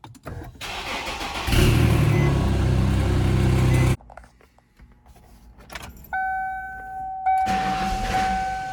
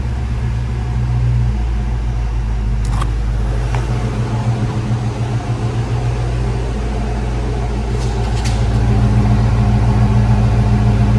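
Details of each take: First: 1995 Ford Mustang GT, lean with no power after MAP sensor cleaning: brief crank catches into a rough low rumble for a couple of seconds, then dies; stalls after start. Owner suspects a bad fuel pump; runs with MAF disconnected. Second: 1995 Ford Mustang GT after fuel pump and/or pressure regulator replacement: smooth, even low idle pulse with steady rhythm, no stumbling or surging, no leaks; normal idle.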